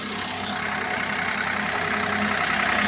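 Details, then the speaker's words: Maruti WagonR engine idling with the bonnet open, checking for front belt noise; even steady idle, no chirp or squeal, belt drive running clean. "तो आपने देखा कोई extra belt की आवाज नहीं आ रही है।"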